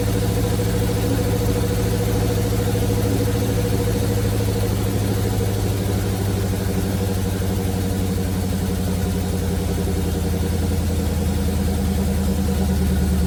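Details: 1971 Chevrolet C40 truck V8 after carb cleaning: steady, even low rumble at idle with no misses; running really well, blow-by minimal.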